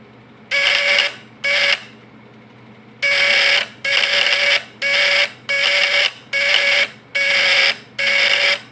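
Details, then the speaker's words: Fish-stunner (setrum ikan) platina point-vibrator type PS, points set strong with a lamp as load: loud raspy buzz switching on and off in half-second bursts at steady pitch; running strong, normal vibrator buzz. "Nah, kan udah beda dari yang tadi kan, dari suaranya. Coba kita setel kuat. Lihat di lampu, teman-teman."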